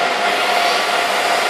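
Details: Supermicro 2U rack server (bottom server) just after power supply replacement and plugging in: loud steady whooshing fan rush with faint constant tone and no more beeping, fans running normally.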